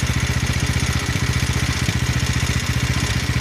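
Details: 170F single-cylinder engine after replacing crankshaft and connecting rod, fresh oil: regular, even exhaust pulses with a firm low beat, no metallic clatter between strokes; the knock is gone. Normal running.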